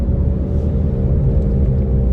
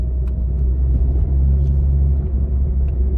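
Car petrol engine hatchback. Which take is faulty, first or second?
first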